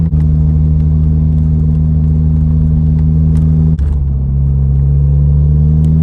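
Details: 2006 VW Golf GTI after diagnosing a misfire with a flashing check-engine light and replacing the coil packs. Steady, even engine drone pulling up a long hill with one gear change, no stumble or miss; normal engine under load.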